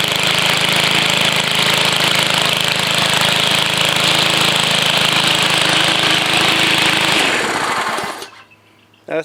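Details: BLACK+DECKER 140cc 4-cycle gas walk-behind high-wheeled string trimmer, new: buzzing hard and evenly, no misses or knocks, then cutting off cleanly within a second when safety bar released; healthy.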